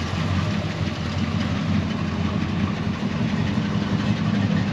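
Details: Frame-off restored 1971 Chevrolet C10, 350 cubic inch small-block V8, TH350 automatic, dual exhaust, idling during the lights check: deep, steady burble with an even low rumble and no knocks or misses; healthy smooth idle.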